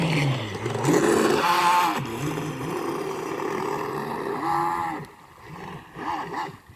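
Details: Homemade RC boat running with a broken propeller shaft cross (universal) joint: motor whine swoops up and down with a wobbling, uneven pitch and rough chatter under load.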